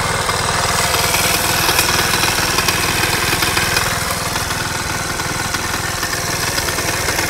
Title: Стук в двигателе что это???